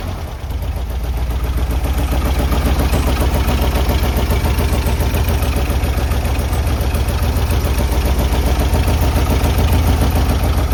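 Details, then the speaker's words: Classic VW-powered Porsche 356 after the carb linkage was adjusted: a steady, even idle with a regular low beat around 214 per minute and no misses. Smooth idle. "So much better."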